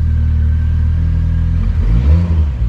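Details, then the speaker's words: Mitsubishi 4G63 after crank walk repair (failed thrust bearing, damaged crank replaced, new bearings and oil pump), first start: steady idle with clean rev blips, good oil pressure, no knocking; normal. "lots of oil pressure uh she sounds pretty good now"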